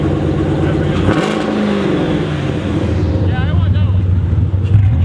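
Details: Chrysler 300C Hemi V8 with a broken flex pipe causing an exhaust leak: deep rumble that swells and roughens as revs climb, with a raw blowing edge.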